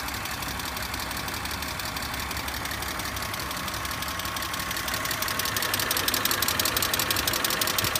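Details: BMW E46 idling smoothly with a light, regular clicking at roughly three per second, getting a little louder toward the end. Source not pinned down.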